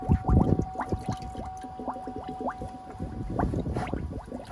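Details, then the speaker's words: FASS diesel fuel lift pump on a bucket test after the water separator was removed and WD-40 tried: pump runs, but irregular spitting and gurgling is air blowing from the return line with nothing through the feed line; it draws air, fixed by replacing o-rings. "you can hear the pump is running but in the five gallon pail that is air blowing out of my return line nothing going through the feed line"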